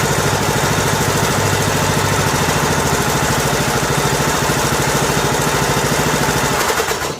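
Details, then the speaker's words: Husqvarna riding mower about two years old, 18.5 hp Briggs & Stratton Intech single, after camshaft and tappet replacement for broken compression release, test start with choke on: catches and settles into strong steady chug, shuts down cleanly; normal running. "Alright, looks like we are successful. No more bad compression release."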